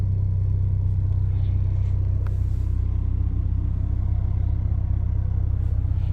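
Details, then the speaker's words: Ford Focus ST after swapping a Mountune rear motor mount for a CP-E Stage 2, fully warm at idle with AC on: heavy low pulsing drone at about 158 beats a minute, with vibration strongly felt in the cabin and child seat. "i just want to point out and it is pretty noticeable um but here we go i don't know if you can hear that but i'm getting a high quality massage in my"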